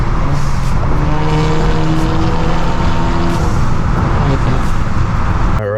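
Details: Modded Acura RDX turbo before a high-flow cat and resonator install: a harsh, buzzy, thin exhaust note climbing and falling with the revs, raspy like a weed whacker. Raspy exhaust drone.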